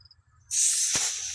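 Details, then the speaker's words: Filling a trailer tire with a compressor air chuck, tire starting at 22 psi; clean steady hiss of air going in, chuck sealed on the valve stem with no leak; normal inflation. "There you go. That sounds good. You can hear if the air is leaking. It's not doing too bad there."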